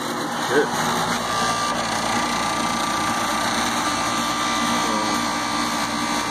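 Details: Tempstar/ICP outdoor AC unit after terminals tightened, inrush checked: steady, even compressor hum with fan whoosh, no buzz or chatter; condenser running normally.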